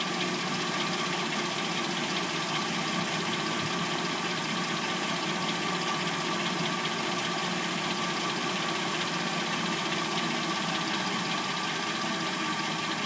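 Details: 2006–09 Hyundai Sonata replacement engine, started after sitting overnight and idling until warm; a fast, even clatter rides over the idle, which the owner assumes is the timing chain, though this is not confirmed.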